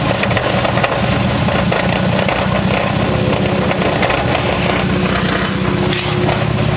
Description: You might not believe it, but the problem was the rear wheel bearing. On 99% of the other cars a bad rear wheel bearing doesn't make it sound like this.